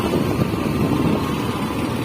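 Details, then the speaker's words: Honda XRE 300 riding test after temporary cam chain fix (chain worn, tensioner and guide OK; chain not replaced): even engine drone with wind, no cam chain ticking or rattle; cam chain sounds tight, normal. "E pelo que eu tô vendo viu a moto ela fica mais justa de comando ela volta a trabalhar como se tivesse feito completamente"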